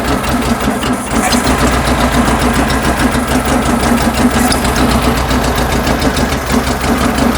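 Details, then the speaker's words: 1974 VW Beetle flat-four with dual 34 carburetors and points ignition, before tune-up: lumpy uneven idle, ragged low beat that never settles; twin carbs out of sync, sync tool reads 5 versus 10. "get in there and 10 on that one they're not even close"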